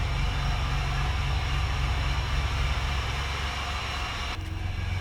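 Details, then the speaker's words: Pontiac Grand Prix daily driver with Borla resonator-delete axle-back exhaust, startup at idle: deep exhaust with uneven stumbling pulse; misfire, also random misfires at half throttle or more, cause not pinned down. "yeah so I don't know if you guys can hear but this thing has a misfire"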